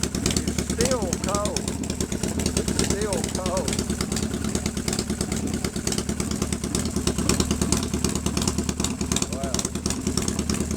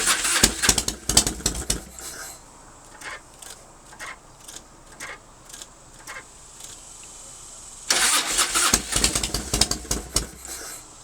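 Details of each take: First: 1997 Harley-Davidson Fatboy Evo V-twin with a Mikuni carb and 70,000 miles, after a hard start from a dry fuel bowl after a month's sitting: steady, slightly raised lumpy cold fast idle with even low-pitched firing, running smoothly. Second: 1997 Harley-Davidson Fatboy Evo, 70,000 miles, sat a month with petcock shut and carb bowl empty; Mikuni accelerator pump possibly gummed, maybe flooded: starter churns in two long bursts with ragged firing that never catches; hard start from fuel starvation.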